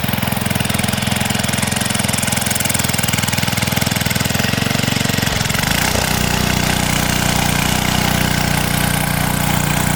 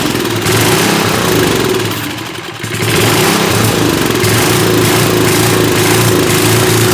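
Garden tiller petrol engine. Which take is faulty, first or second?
second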